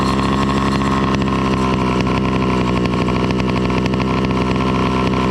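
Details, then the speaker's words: Two-stroke motorized bicycle with NT carburetor after retuning: loud, steady burble holding one speed with a wet, blubbery edge and heavy smoke pouring out; mixture far too rich. "i can tell you for sure that is rich as hell the amount of smoke is just dumping out"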